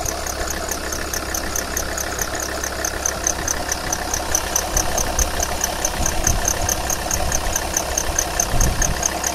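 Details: 2001 Alfa Romeo 156 2.4 JTD diesel idling with a high, bird-like chirp about twice a second, heard below about 1100 rpm and above 1600 rpm; cambelt already excluded, aux belt new except worn crank pulley damper, belts tensioned; cause unconfirmed.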